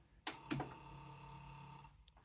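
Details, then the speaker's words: Panasonic RX-ED77 "Cobra" boombox, cassette door test: a couple of clicks, then a faint even motor whir with no closing clunk; the door motor runs but the cassette doors stay open. Owner suspects worn closing-mechanism belts. "so the motor doesn't close the cassette deck I assume it should close them otherwise you wouldn't hear the motor sound yeah so I think that's probably belts but you can manually close them so I'm not too worried about that"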